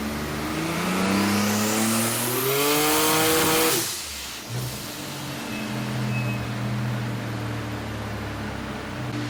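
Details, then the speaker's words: 1981 Datsun Bluebird 910, built VQ35 turbo (Elgrand bottom end, Wiseco pistons and Eagle rods, VQ30 heads, Kelford cams) on Haltech, after cam timing fix: revs climb hard and evenly to a high scream, then settle steady; running on all six. "like that um cam timing's right this time around Timmy it sounds better it sounds good running on all six"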